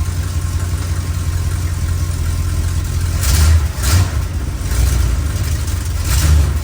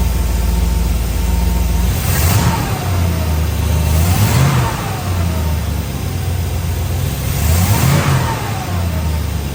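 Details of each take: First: 1962 Chrysler New Yorker, 440 V8, cold start before carb tune-up: deep idle with throttle blips where revs stumble and cough, hesitating on acceleration; owner attributes most of it to the engine being cold, cause not confirmed. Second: 1962 Chrysler New Yorker during tune-up after adjusting carburettor idle and fuel-air mixture: engine blips several times and settles to a steady even idle with no misfire; now purring.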